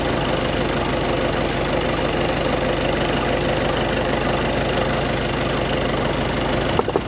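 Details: VW Passat B8 after fixing a no-crank no-start (code P3054, starter relay/fuse); steady idle with even low pulse, no knocking, a few handling clunks at end; normal idle.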